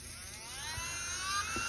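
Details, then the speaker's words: Nail drill handpiece (pen) after being disassembled, cleaned inside and reassembled to cure an odd noise: a clean high whir climbing smoothly in pitch with no squeal or rattle; it sounds like new. "se escucha como nuevo"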